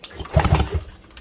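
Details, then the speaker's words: 1968 Evinrude Fastwin 18 hp outboard, previously seized after sitting a year on an open trailer, freed up: slow, uneven cranking thumps without firing during a compression test reading about 90 psi, a 20 psi difference, rings possibly not fully freed; low compression, though owner believes it will run. "So we'll say 90. So that's 20 psi difference. That's not the greatest, but I do believe it will run."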